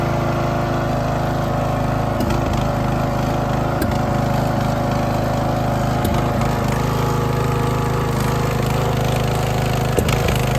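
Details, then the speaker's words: Poulan XT tractor mower single-cylinder after a new spark plug and adjusting the Chinese carburetor's idle and mixture screws, which stopped the popping and backfiring. Runs steady and even, with no misses; smooth idle, running like a top. "I got it I got it tuned up so it's running like a top now the idle is smooth"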